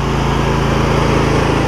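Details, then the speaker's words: John Deere L120 lawn tractor, about 2005–06, small V-twin idling: steady even low putter with no misses, knocks or surging; idles down smoothly and sounds healthy. "This thing idles down and everything."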